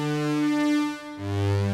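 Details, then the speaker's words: Yamaha CS-40M vintage analogue synth after repair: bright, buzzy, full sawtooth tones on two sustained notes from both oscillators and voices, clean and stable; the earlier chopped-off waveform, linked to the output switch, is gone and every other note no longer sounds different. "would expect to hear. A nice sawtooth waveform from both oscillators, both voices. All fixed."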